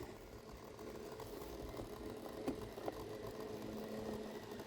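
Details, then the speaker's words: 1999 Saab 9-3 with B204E engine and Garrett T25 turbo, key off: a faint steady whirr keeps running and current is drawn; pulling the AC control panel fuse silences it. Component stays powered after ignition off. "this still sounds even though it's off what's up with that is this one what's that what is this let's see how much it consumes yeah there we have some problem"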